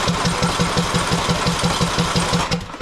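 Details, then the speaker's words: Husqvarna TYH18542 riding mower, Briggs & Stratton 18.5 hp Intek, air filter off, choke half, half throttle: cranks evenly around six pulses a second but never fires; solenoid clicks, fuel suspected fine, spark plug next to check. "it's not a fuel problem well let's just check the obvious here let's just pull that spark plug out so we know it's getting fuel"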